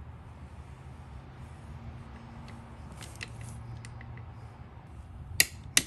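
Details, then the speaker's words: 2016 Segway X2 coupling replacement: two sharp clicks as the torque wrench releases at 29.5 pounds while bolts are tightened. "okay click you heard the click go down to the bottom one"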